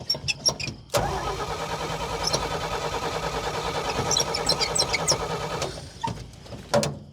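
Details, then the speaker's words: Old Dodge Power Wagon flathead, day three of revival: starter spins steadily about five seconds, engine never fires; lost spark again, owner sure the worn ignition points are to blame and plans a new set. "We've lost spark again, and I'm sure it's those points. So, I'm going to have to get a new set, and then uh we'll go from there."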